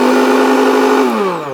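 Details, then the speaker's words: Kenwood BLP41 blender from a charity shop, power-on test on the pulse function: smooth high motor whine, then pitch drops evenly as it spins down; drive looks fine, tests out okay, healthy motor. "Okay, power on. We have a pulse function. Let's give that a burl. Oh yeah, it sounds pretty good."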